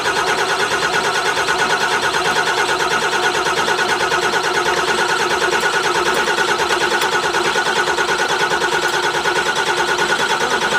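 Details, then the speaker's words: 2008 Ford Super Duty diesel, first start with ether sprayed in intake: rough, chattering run pulsing about three times a second, uneven and hard-edged, as air purges from the airlocked VP44 injection pump. "Running, motherfuckers. Just saying. We just gotta get all the air."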